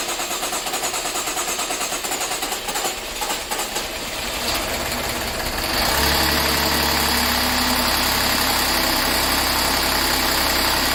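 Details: 2013 Jaguar XF 3.0L AJ126 supercharged V6, first start after rebuild, oil drained, assembly lube used: long cranking and rough firing, rattly at first, then catches and settles to steady, even idle, no knocking; vapor from cooling pipes; normal idle.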